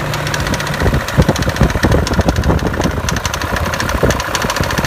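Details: BMW E39 M5 V8: loud, lumpy idle with sharp clicks scattered through the rumble; source unknown; engine clicking.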